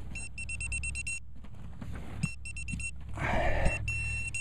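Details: Pinpointer in a deep hole, about 4 inches past the pinpointer's depth: bursts of high, steady beeps speeding up and merging as the probe nears the target, over scraping soil; the target turned out to be a piece of copper, possibly part of a spoon.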